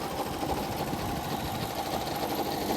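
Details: 1983 Honda Aero 50 scooter, two-stroke, just running again mid-restoration: fast, uneven tinny rattle over a buzzy idle; head or head studs suspected, but the studs feel tight, cause unconfirmed.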